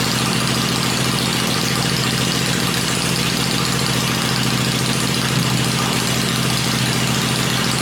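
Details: Freshly built 96-inch V-twin with Edelbrock heads on an engine run stand, cycled through revs before going in the bike; stand shakes at lower revs; steady, even beat at fast idle, no knocks, ticks or misses; normal running.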